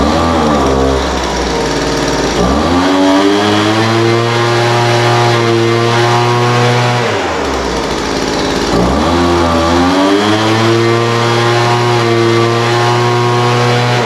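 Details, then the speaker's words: Poulan Pro 200 mph two-stroke leaf blower, received as a non-runner, after carburetor adjustment: idle mixture leaned out from too rich and top end tuned. Settles at idle, then revs cleanly up and holds high speed twice; crisp pickup, steady tone, running healthy. "yeah that sounds pretty good um carburetor needed just a little bit of adjustment the idle mixture was too rich so I leaned that out a little bit"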